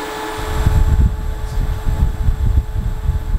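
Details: Steady fan whir with a faint constant motor hum under gusty air rush from a portable 3-speed Breezy evaporative air cooler running in a hot Las Vegas garage; normal fan operation.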